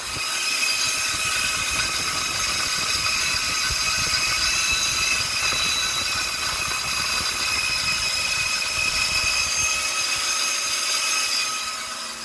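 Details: Copeland compressor making noise and cutting off, fan staying on: harsh high-pitched rattling hiss over a steady run that tails off at the end; compressor sounds unhealthy.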